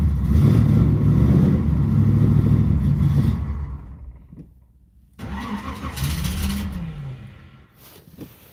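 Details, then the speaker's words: Box Chevy Caprice on a cold day with a weak, nearly dead battery and a check engine light on: engine runs rough for a few seconds, sags and dies, then catches again unevenly; hard cold start with stumbling, cause unclear. "See if I can actually get it going. Uhhuh. Yep. It's cold outside, so it's kind of acting up."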